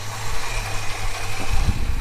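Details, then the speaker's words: Holden HK petrol engine idling after the exhaust manifold leak was fixed: a steady low rumble with no ticking, puffing or power steering pump rattle, a normal quiet idle. "Oh, that's nice and quiet now. I've done it. I got that exhaust leak gone."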